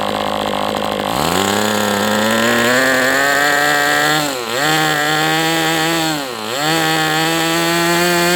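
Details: MDS 68 FS Pro engine during break-in, high-speed needle richened then tweaked another 1/8 turn, 11x8 prop: loud steady buzz climbs as it leans out with two brief dips, runs strong and clean but still slightly rich.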